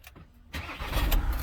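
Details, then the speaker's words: 2017 VW Transporter T6 2.0 diesel, after a full service with fuel filter replaced and fuel system bled via the electric fuel pump: quick crank, fires at once into a deep, steady idle with no stumbling; normal start. "There you go. It's fired up straight away."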